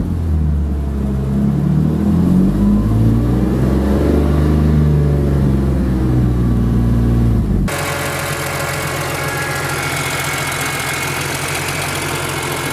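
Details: BMW E46 M3 fully warm (oil near 200°F), low rpm: uneven lumpy pulse then ragged idle with lack of power; misfire/knock appeared after coils, plugs, injectors, O2 sensors and cat-back changed, compression fine, cause unknown.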